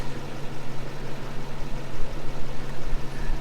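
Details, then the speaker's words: 1962 Chevrolet Impala, 235 inline-six, sitting over 25 years, running after a points fix: a raw, very loud, uneven low roar with pulses rising and falling. The engine is running with no exhaust fitted. "guys it's so loud we've got no exhaust here"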